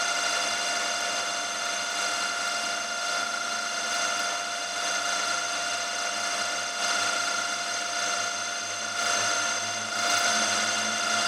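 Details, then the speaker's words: Carbide end mill climb milling with spindle at 1000 rpm: steady high-pitched cutting tone with faint uneven buzzing vibration; end mill chatter. "you can hear a bit of vibration it doesn't help that I'm climb milling and I've set the cutter speed at 1000rpm"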